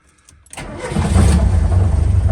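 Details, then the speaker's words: Old Lada Niva with a dirty carburetor that cuts out on throttle, air filter off: a quick crank catches within half a second and settles into a deep, steady idle. Restarts easily after stalling. "Fire right back up though. Sounds like a diesel."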